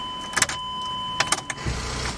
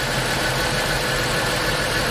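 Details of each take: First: 2005 Chrysler Pacifica 3.5L V6 AWD, transmission in neutral, after starter replacement: only scattered sharp clicks with each key turn and no cranking; engine locked by a seized alternator. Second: 2005 Chrysler Pacifica 3.5L V6 AWD after starter and seized alternator repair: steady, even idle with smooth hum, no knocks, misses or squeals; engine running healthy.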